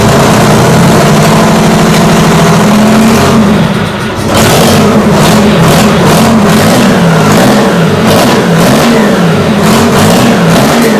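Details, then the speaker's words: Detroit Diesel 6-71 two-stroke on first start: screams past normal top revs and surges unevenly, overspeeding because the governor is partly broken inside; debris had fallen into the exhaust manifold; shut down straight away. "the governor took over and it just went past where it was meant to stop because it's broken up inside"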